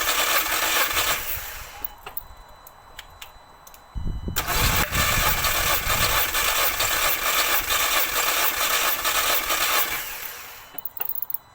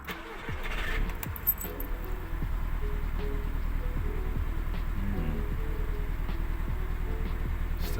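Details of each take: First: MK2 Audi TT with cylinder 1 misfire (P0301), compression test cranking with fuel pump relay removed: steady, even cranking pulses, no cylinder weak or lumpy; equal compression, all four cylinders reading about 100 against roughly 150 thought to be expected. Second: MK2 Audi TT, code P0301 cylinder 1 misfire: cranks, catches, then idles with uneven lumpy beat; still misfiring with swapped coil pack and spark plug, compression even; injector suspected next.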